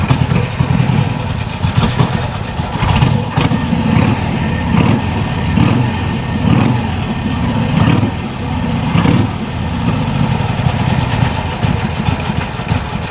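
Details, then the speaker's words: Old Harley Sportster Ironhead, running for the first time after carb fiddling, throttle cable loose: loping, uneven big-twin beat with periodic pops and steady low rumble, holds idle cleanly; sounds healthy. "Man, sounds good, sounds good. Yeah. Hey! Yeah. That's fantastic."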